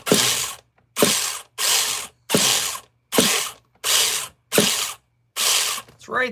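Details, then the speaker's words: Nitro RC car starter attempts: eight rasping ratchet winds about a second apart while the engine never catches, as the starter's one-way bearing slips; cleaning the one-way bearing is considered. "Slippy ass oneways. Hey, hey, hey."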